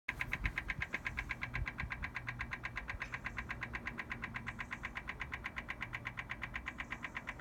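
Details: BMW M4 Competition Pack, cold, ignition off: sharp, even ticking about two per second that starts intermittently as soon as a door or the boot is opened; source unknown.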